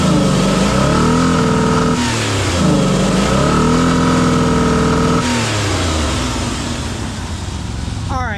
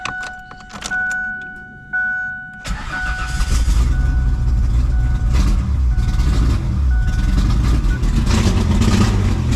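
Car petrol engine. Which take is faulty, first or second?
second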